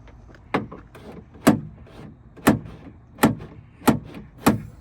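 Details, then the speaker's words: Hummer H2 rear liftgate lock actuator just replaced (part 15808595), tested after the old mechanism had frozen: crisp, solid clunks about once a second with clean latch snaps as it locks and unlocks. It now pulls both cables and works normally. "As you can see, it's pulling both of the cables, the one there and the one at the bottom. It was not doing that before cuz this mechanism was froze up."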